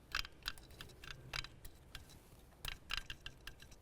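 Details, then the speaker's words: 2007 Dodge Caliber electronic throttle body, tested off the car with power and ground wired straight from the battery, mic close: scattered sharp ticks, a few each second, as it twitches in one direction but never opens; shorted throttle body motor. "I don't know if you can hear that but the throttle body's trying to do something in one direction"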